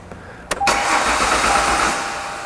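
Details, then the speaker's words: 1998 Ford Contour no-start: relay click then about a second of steady cranking that never catches; the fuel pump is being commanded on. "All right, so the fuel pump is being told to turn on, it's just not turning on."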